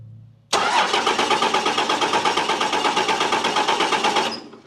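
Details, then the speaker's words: Old diesel truck on a road trip that won't start; fuel comes from most injector lines but not a couple. Starter cranks steadily at about three pulses a second for nearly four seconds without catching: extended crank no start, cause unconfirmed. "you want to try cranking it? Yeah. You ready? Yeah, try cranking it."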